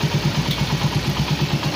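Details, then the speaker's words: Suzuki Raider 150, after replacing four valves, timing chain and restoring stock tensioner: even single-cylinder idle about eight pulses a second, no top-end rattle; clatter gone, quiet. "Yun, mapapansin nyo, wala na yung kalansing, no? Yan, o, tahimik na"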